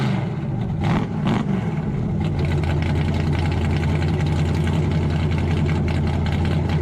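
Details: 1968 Dodge Charger Hemi V8: lumpy, deep idle rises cleanly on throttle blips and settles back without misfire, with no leaks; the engine sounds healthy.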